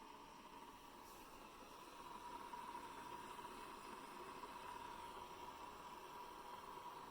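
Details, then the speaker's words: Hamilton Beach 47950 BrewStation 12-cup coffee maker after brewing finishes: quiet, steady hiss with faint thin tone that continues the whole keep-warm time and stops when a part is lifted with a fingernail; cause unknown. "So you would think that the coffee is brewing, but actually this is the noise that it makes after it's completely done. And it will continue to make this noise the entire time that it's keeping the coffee warm."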